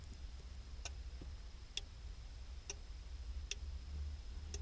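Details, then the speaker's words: Boat anchor and deck light remote smart switch module: sharp single relay clicks about every second over a quiet hum as relays switch on and off after programming; working normally. "you can hear that clicking it's the sound of um relays clicking on and off"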